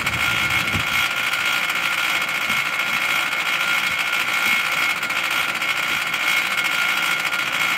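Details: Mitsubishi Electric Mr. Slim air conditioner outdoor unit running: steady hiss with a thin high whine and little low end; abnormal noise, cause not evident.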